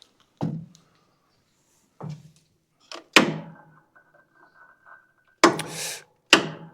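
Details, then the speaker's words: Country Clipper Challenger 52-inch zero-turn mower that won't turn over: single sharp clicks a few seconds apart and no cranking. Voltage drops when the starter is engaged; locked engine, bad starter or bad solenoid suspected, not confirmed. "Sounds like we're running into maybe a major engine issue just straight off the top here."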